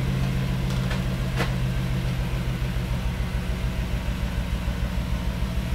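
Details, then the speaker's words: Toyota Supra manual/turbo conversion, now with exhaust fitted and much quieter: low lumpy chugging idle with uneven beat; owner says it is running a bit rich. "it has its exhaust done it's a lot quieter than last time when you guys heard it look you can see look the exhaust is on it's chug chug bit Rich"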